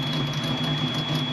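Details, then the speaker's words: Ford Fox-body Mustang with a cammed engine, after adding the missing engine-to-body ground, checking the TPS and reconnecting the IAC: a steady, even idle around 900 rpm with a smooth low thrum and no stumble, sounding healthy. "900 RPM sounds pretty good with a cam motor, as you can hear. And to be honest, I don't think I've heard this car idle this nicely and this consistently"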